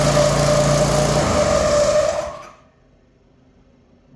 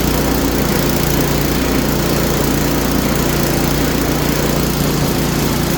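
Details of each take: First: Craftsman snowblower, new belt fitted, squeal complaint, started on choke: small engine runs rough at fast idle with steady whine/squeal above it, then dies; abnormal noise suspected to be a bearing, not confirmed. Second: Small Craftsman snowblower after new belt and gear lube added, about 10° outside: smooth constant engine drone with no squeal or rubbing; squeak gone, running normal.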